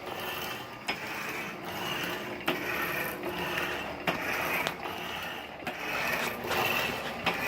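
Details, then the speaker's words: 1916 Diamond Saw Works power hacksaw driven by a 1915 Century Model RS 1/4hp motor through a 3-inch pulley, cutting bar. A sharp click comes about every stroke, roughly forty a minute, over the cutting hiss: a worn frame pin bushing knocking, still awaiting repair. "As much power as this motor has, I've considered changing that second 3-inch pulley to a 4-inch to get a little more speed out of it. I have to do some work to that clicking bushing back there in the back."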